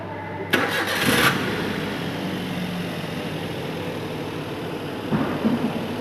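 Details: Maruti Zen Estilo: starter whirs and engine turns over at an even cranking beat but never catches; cranks without starting.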